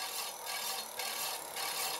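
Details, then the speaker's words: Hand-spun scooter disc brake after adjustment: a light hissing scrape swells and fades about twice a second, once per turn, a slightly bent rotor still rubbing the pad at one spot. "Ça frotte plus qu'à un endroit. Il suffit juste de le choper."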